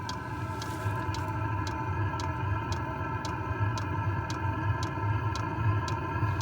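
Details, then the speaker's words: Chinese clone of a German Eberspacher-style diesel heater at full burn on its fastest run mode: a steady jet-engine-like roar with the fuel pump ticking about every half second as it squirts fuel into the chamber, and no exhaust smoke. Normal full burn. "Unit now on fastest run mode ticking and jet engine noise. It is having complete actuating! No exhaust smoke!"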